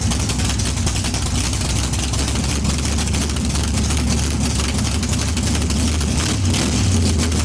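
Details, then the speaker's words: Big-block Chevy 454 in barn-find T-bucket hot rod, both exhaust tubes removed, running on open headers before swap into Monte Carlo: loud deep even rumble with rapid pops, holding steady; strong-running healthy V8, normal running. "Open it. Let's hear it. Open her. How she's going to sound in the Monte Carlo."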